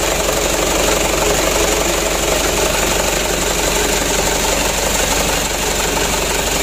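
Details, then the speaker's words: Mitsubishi Canter diesel after replacing injection pump plunger for hard starting, before calibration: loud, steady clatter at fast even idle, no misses or stumbles; starts and runs fairly well, idle set slightly high. "Ya udah hidupnya sudah lumayan bagus"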